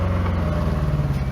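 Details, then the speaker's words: Nissan N13 Pulsar/Sunny with CA18DE engine at idle: lumpy, uneven, stumbling exhaust beat, running not quite right; sounds like running on three cylinders, misfire attributed to a developing ignition coil problem. "sounds like it's running on three cylinders on three cylinders"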